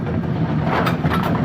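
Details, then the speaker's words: Brunswick A2 pinsetter single-phase motor restarted after clearing an obstruction on a turret indexing issue; steady low hum and even mechanical rumble without binding or grinding, looks a touch slow but sounds fine, runs freely. "slow doesn't sound [Music] bad I think it just looks slow"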